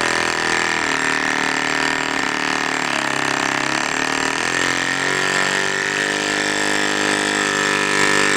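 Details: Cox model diesel mini generator, run with exhaust open to start without back pressure after re-priming and lowering compression: high wavering, surging scream that sags and recovers; owner believes flywheel out of balance and sticking, axle slipping, fuel hose clogged.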